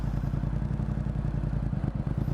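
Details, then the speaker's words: Motorcycle idling stationary while the clutch is eased to its engagement point: steady low idle dips and wobbles slightly as the clutch bites, rpm starting to drop. Normal take-up behaviour. "소리로 들으면은 약간 일정하다 RPM이 떨어지려고 해요 그죠"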